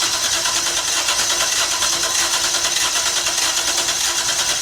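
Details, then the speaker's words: 1994 Toyota T100 pickup, a misfire comeback after valve cover gasket work, cranking before fuel pressure builds. Uneven, lumpy stumbling beat from one cylinder with a mechanical misfire, probably valve-related; a second misfire and excess fuel smell are also suspected. "Uh cuz when we were cranking it and building fuel pressure up after we did all the work, you can hear before the field pressure built up, you can hear a mechanical misfire on one of the cylinders. It's quite obvious."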